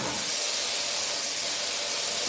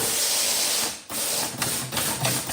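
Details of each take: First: 1963 Impala air-ride system with two compressors, each feeding its own water trap: a strong, even two-second hiss of venting air cuts off cleanly as the tank is purged of moisture; routine normal purge. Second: 1963 Impala air system with two compressors and water traps, tank purge button pressed: loud air hiss, then rapid slapping about three times a second as an unsecured discharge line whips under the car; line needs securing.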